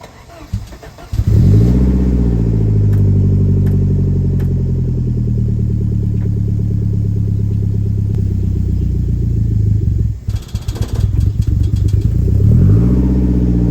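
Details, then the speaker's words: Saab 900 cold start at about 50°F after cleaning the idle air control valve: it starts promptly at a fast cold idle, then after about ten seconds stumbles and surges unevenly before recovering. Unstable cold idle, not yet fixed. "Well, you can tell we got one issue fixed, but that idle issue is clearly not fixed on cold start."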